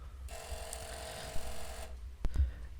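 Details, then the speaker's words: PS2, 503 model (V9 or V10), at power-on: harsh grinding whir lasting over a second from the partially seized laser worm assembly, causing game crashes and disc read errors. "so when we start the machine up you can hear that grinding woring noise is absolutely terrible"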